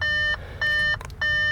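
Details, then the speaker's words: Crash-damaged Audi A4 S Line under rebuild, ignition on after clearing fault codes with airbag light still lit: three identical high beeps repeating about every 0.6 seconds, a dash warning chime that keeps cycling. "that noise is going to drive me insane"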